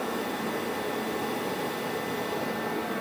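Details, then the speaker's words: Garage heater that heats the air rather than giving radiant heat, tested in a storage shed at about 66 dB: steady, even hissing roar with an annoying high-pitched squeal on top and no surging or knocking. Normal running. "it's not even so much the noise because the overall noise isn't really that bad it's the pitch of the noise for me that gets really annoying that like just high pitch kind of squeal"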